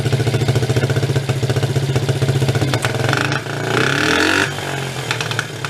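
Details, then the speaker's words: 1983 Suzuki 125 three-wheeler ATV, barn find with run issues, automatic clutch: uneven popping pulses at idle, about four per second, then a rough throttle blip; carb mixture screw set too far out (lean), popping back, no good operating window found. "it's too far out right now you can tell by that that popping back but when i run it in i'm not finding a good window for it to operate"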